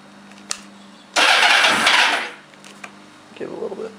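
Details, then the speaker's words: Short crank, then loud flare and immediate catch on choke from a 2000 Kawasaki ZR-7 750cc four with aftermarket exhaust, freshly tuned with new plugs, wires and cleaned carbs. Healthy start, runs well. "it runs pretty good I haven't had any problems with it at all"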